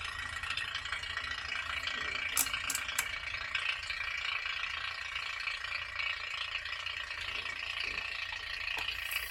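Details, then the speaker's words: 1940 Frigidaire refrigerator after a compressor change, started on a partial refrigerant charge (under half a can, positive pressure); irregular metallic rattle about three per second over thin hiss, compressor rough at startup while pressures equalize. "It's not sounding the best. Taking a minute to kind of equalize pressures and sounding a lot"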